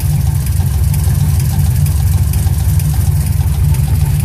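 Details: 2006 TrailBlazer SS engine knock: rough idle with a low, uneven knock about three times a second deep in the engine, over the exhaust rumble.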